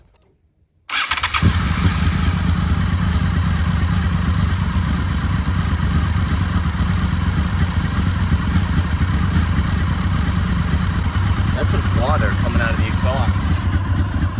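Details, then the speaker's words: 2003 Honda VFR800 (5th gen) V4 restarted after 8 years of storage catches right away and settles into a steady, even idle with a light whine from the gear-driven cams; sounds healthy, with water still in the cooling system. "look at this guys it's running listen to those gear driven camps guys listen to it"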